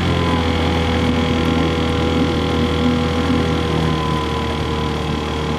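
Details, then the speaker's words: 1968 Johnson 6 hp two-stroke outboard on the water, likely unrun about 15 years, old uncleaned points and plugs, impeller pumping water, running cool: even steady buzz, no knocks or stumbles, healthy for its age. "I mean, it probably hasn't run in 15 years or so, at least. So I think it's doing pretty good considering that."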